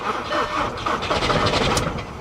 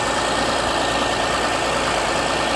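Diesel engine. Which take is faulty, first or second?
first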